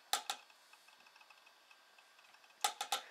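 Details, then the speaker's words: Macintosh PowerBook 180 running System 7 after its hard drive failed, with a temporary drive fitted: faint rapid ticking several times a second between a few louder clacks as the drive seeks noisily; loud hard drive seek ticking. "maybe you can hear that loud hard drive"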